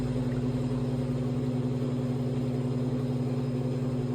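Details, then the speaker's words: Old Infinity Spas hot tub pump number one, the water recirculating and jet pump, running at low speed. It gives a steady, even electric hum with a low drone and no grinding: the healthy pump. Pump two has the worn bearing. "is the sound of pump number one which is our water recirculating and jet pump or Jets on this side of the putt that's the low speed sound"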